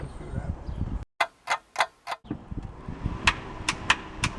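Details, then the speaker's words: Rebuilt Honda VTEC engine on first start attempt, battery full at 13 V: the starter clicks in quick bursts and shoots the Bendix in but never cranks. The starter was wired wrong at the top; once rewired, the engine started right up. "not a motor is shooting the Bendix in but it's not turning the motor okay"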